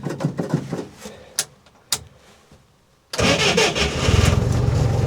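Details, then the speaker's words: Modified UAZ 469 after long sitting, ignition rewired, timing only roughly set, choke not fully pulled: some clicks and knocks, then catches first try and settles to strong, even, quiet idle. Normal start. "wow first try that's impressive even sounds like it's running pretty good wow I do not expect that barely making any noise"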